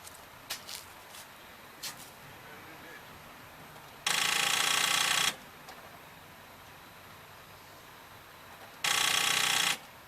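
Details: 2009 Nissan Rogue with new starter and new battery; bright lights dim sharply when the key is turned: two short bursts of rapid chattering clicks with nothing turning over; the starter clicks and the engine never cranks.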